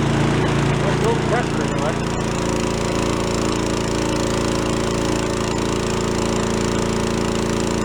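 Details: Small single-cylinder engine on a commercial garage-sale pressure washer settles into a steady, even run with a constant beat and no stumbles; it sounds healthy.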